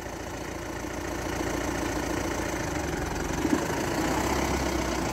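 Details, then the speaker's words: Mahindra Bolero pickup on a test drive after brake work on worn brake liners and disc that squeaked when braking: only a steady engine hum while rolling and braking, no scraping or grinding; the noise is gone and the brakes are quiet. "आवाज बंद हो गई है और break भी ठीक लग रहे हैं।"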